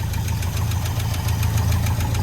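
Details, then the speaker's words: 1971 International 1210 pickup sat 30 years, started with fresh fuel and no coolant: sharp metallic clacks about seven per second over a rough low idle; loud internal knock of unknown cause, engine shut off. "don't stand in front of it no gauges no transmission the engine sounds really weird but i'm gonna i'm gonna shut it off"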